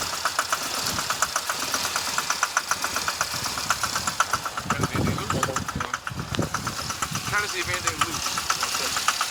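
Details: 2006 Chevy Impala 3.5 V6 flex fuel with uneven loping idle and fast ticking. It has reduced engine power, a traction/service light, stalling while driving, codes P0301 and IAC, and a burning smell; cam sensor and magnet already replaced. Rough idle.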